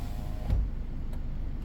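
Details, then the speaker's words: 2015 Ford Edge window relearn from the master switch, switch held all the way down and up: low, steady motor drone with three sharp clicks about 0.6 s apart as the glass runs; relearn in progress. "Okay, I heard the noise on that side."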